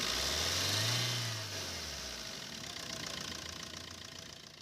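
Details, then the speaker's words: Maruti Suzuki Swift VDI diesel after replacing the dried-out AC compressor bearing that caused a grinder-like noise: blips, then drops to a steady, even idle with no whine or rumble from the accessory belt; healthy. "और start होने के बाद में जो पहले चीज जो आवाज आ रही थी वह अभी सैंपल नहीं है है तो इसका जो कंप्रेसर का जो वे था दोस्तों बैरी हमने चेंज कर दिया कंप्रेसर पर और उसके बाद में जो आवाज थी वह आवाज वह सिर्फ वाली वह चली गई"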